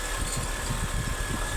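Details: 2004 Honda City i-DSI after the no-crank, no-start fix (starter solenoid contacts replaced). A low, steady idle with an even pulse and no misses or knocks; the engine runs smoothly and sounds healthy.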